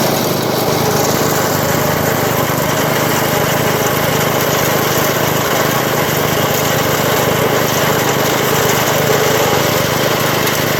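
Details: 1980 MTD SnowFlite 5-20 snowblower on a new carburetor, cold-started at about -12 after hours outside, clearing snow: steady, busy drone holding speed evenly with no surging or misfires; runs healthy under load.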